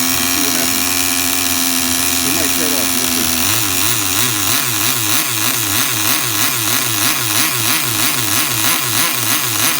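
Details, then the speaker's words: Tamiya TGS-R nitro RC car engine with carb and low end reset to factory settings and fresh fuel: high-pitched buzzing engine revving up and down in even, repeated blips, pulling cleanly each time; it idles well and runs healthy. "Sounds good to me. Listen to that idle, people. Do you hear that idle? And that's factory settings."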